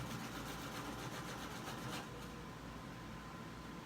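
A sewing machine stitches in a quick, even rhythm for two seconds, then stops, leaving a faint hum.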